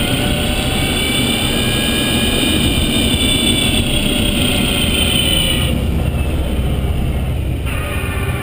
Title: Zoe Q210 Motorgeräusch 63.000km